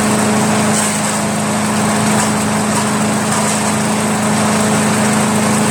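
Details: Craftsman chipper shredder flathead engine, restarted to confirm it works after head removal, carbon cleanup and a 320-grit sandpaper valve-seat job, holds a steady, even drone with no hunting or surging; normal idle.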